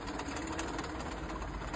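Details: Honda car, engine running: rough, gritty rattle with a faint steady hum from a worn A/C compressor pulley, which is breaking up; the A/C itself still works.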